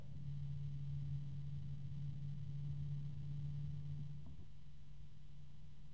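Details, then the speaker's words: DeepCool/Logisys UF140-X SF140 PWM fan spinning up to maximum: steady low droning hum with a second, discordant tone riding on it that shifts; rotational noise, suspected harmonic resonance, cause unconfirmed. "I hear another tone that sounds like it could be a harmonic resonance there it is again yep and that's maximum so it the noise is I have to say is a bit discordant"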